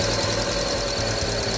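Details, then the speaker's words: Engine running with a thin, steady high-pitched chirping squeal from a loose, slipping drive belt; if pouring water on the belt stops the noise, the fix is to tighten the belt. "no need to repair the engine let's pour some water on the Belt if the abnormal noise disappears at this time then just tighten the belt"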